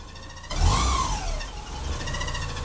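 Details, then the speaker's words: Porsche 944, off the road five years, just restarted after part replacement, radiator leaking: engine catches and runs unevenly with a budgie-like chirp riding high over the idle; chirp source not yet found. "I honestly can't believe we got her running sounds a bit like a Budgy but she's running so I got to work out with that Budgy sound is"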